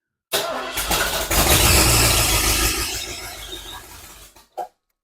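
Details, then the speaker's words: 1976 Mercury Monarch 347 V8 with rebuilt AOD transmission, after new distributor, wires and coil: catches after a short crank, barks up and revs smoothly for a couple of seconds before shutdown; fires cleanly, sounds healthy. "sounds like it'll run okay so now I need to investigate why the trans isn't working"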